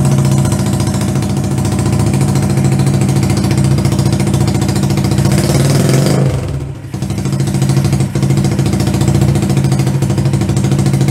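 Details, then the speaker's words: 125cc CCW Sinnis Heist chopper single runs only on held throttle, sags hard near six seconds almost stalling, then picks back up; won't idle alone, before owner adjusts the carb float height. "it's not quite idling but it's for running let's see if we can get it idling by itself"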